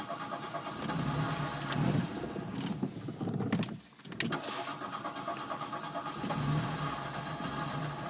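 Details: Hard starting after relay install on a MK1: starter cranks for a few seconds, short gap, more cranking before the engine catches and runs rough; cause unknown.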